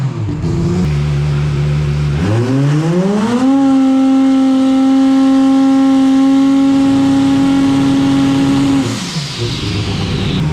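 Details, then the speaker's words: Turbo car at FuelTech trying to spool the turbo: the engine rises from a low drone to a steady high tone with a brief stumble, a dead spot, before boost holds; cause unsure, fuel or timing suspected. "Sounds like it's probably got one spot you can probably. Yes. It's like a dead spot. I don't know if it was like fuel or timing, but once you went through that, it kept steady and the booster just like."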